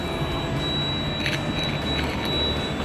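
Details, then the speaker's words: ALS bus no. 384 (MB OH 1526), heard in the cabin at start-up after radiator cleaning. Steady diesel rumble with a thin whistle and hissy bursts: the air system is not yet full and still building pressure. "Abang demi suaranya apa ini angin belum penuh Oh kalau belum perlu berarti bunyi gini ya"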